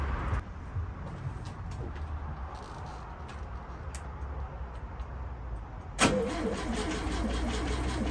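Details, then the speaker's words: 1973 VW Beetle, air-cooled, off the road about eight months, after reconnecting a loose distributor lead: it turns over, catches sharply around six seconds, then settles into a steady, even idle; normal idle. "so it turns out that one of the Dizzy leads was not connected nice easy fix now that I've got it started"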